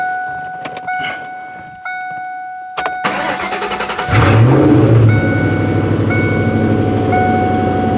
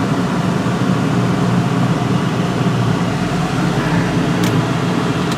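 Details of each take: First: 1998 Ford Mustang GT, about 132k miles, PI heads, FRPP shorty headers, cold start after sitting: engine catches and settles into a fast idle with light, regular tapping; exhaust header leak. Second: 1998 Ford Mustang GT, about 132k miles, PI heads, idling with the A/C compressor running: steady, even low rumble with a smooth fan-like hum and no misses; idle slightly raised by the A/C load, normal.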